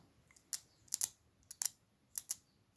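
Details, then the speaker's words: Farmall Super A ignition coil bench-tested with battery leads, touched across a gap: sharp irregular snapping clicks as a crisp spark jumps each time, so the coil is not burned out and is good. "there's a spark okay so I assume this coil is not burned up"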